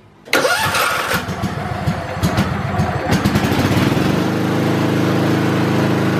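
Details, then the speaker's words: Kohler small engine at wide open throttle during a stator test, meter on the white stator wires in AC: cranks a few times, catches, then a steady, even full-throttle drone with no misses or knocks; stator gives 43 V AC, healthy. "then you're going to start the engine at wide open throttle and get a voltage reading should be somewhere around 30 and 50 volts give or take a few"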